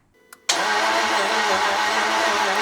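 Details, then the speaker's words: 1999 Jaguar XK, believed 4.0 V8 though the cover says 3.2, crank no-start: the starter engages the ring gear and the engine spins fast, light and even with no compression pulses; loss of compression, bore wash suspected. "yeah it's definitely sounds like it's spinning but I'm just going to check the recording I can confirm that the issue that the owner thought was the problem is not the case the the starter is spinning he knew that but it's also engaging into the ring gear and turning the engine but it's turning the engine very easy"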